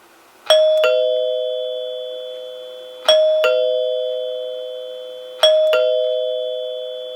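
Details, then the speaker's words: 1930s NuTone Time-Chime 2-note door chime after cleaning and reassembling the base, front door button rung: three clean two-note ding-dongs about 2.5 seconds apart, each tone ringing long and clear. Working normally. "that sounds really nice now we'll go ahead and ring the center rear door and I would say that it works exactly like it's supposed to it resonates really nicely the tone carries for a long time once the plunger has hit the tone bar and it's in good working order now"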